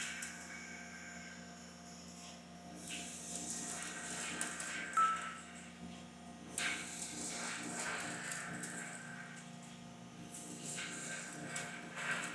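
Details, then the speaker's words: Center-through drill with added step drilling A5052 aluminum: low steady spindle hum with repeated bursts of fine crackling as it feeds in, chips breaking cleanly; normal chip breaking while drilling. "If you actually observe the cutting, you will see that the chips are broken, but there are also cases where they do not break."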